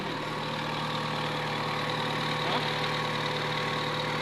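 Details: Isuzu D-Max common-rail diesel being diagnosed for engine misfires: steady idle drone with a slightly uneven beat, as from a misfiring cylinder.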